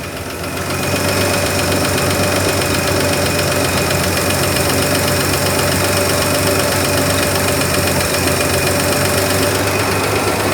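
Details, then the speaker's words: 1963 Ford F100 running cold just after a carburetor clean and rebuild, still smoky and stumbling slightly (owner suspects points or cold): fast steady ticking over a rough idle. Owner suspects an exhaust valve nearest the fan and says it needs a valve adjustment. "We need to do a valve adjustment on it. That's what that tick, tick, tick, tick, tick, tick, tick, tick sound is. Sounds like maybe it might be the exhaust valve, the one closest to the fan."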